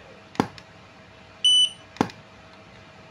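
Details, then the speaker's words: Godox AD300 Pro flash, water-damaged with its board destroyed by an earlier botched repair, triggered after the custom module was installed and tested without a battery: a sharp firing pop, then a clean high recycle beep about a second later; working normally. "Alhamdulillah udah mau ya, udah mau nih."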